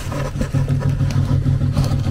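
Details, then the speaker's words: HVAC furnace variable-speed blower motor in fan mode: low, uneven hum that surges and sags as the fan struggles to spin, never reaching steady speed; failing blower motor, replaced afterwards. "So, in this video, I'm going to quickly show you um an issue for a variable speed motor. Basically, a symptom of failure."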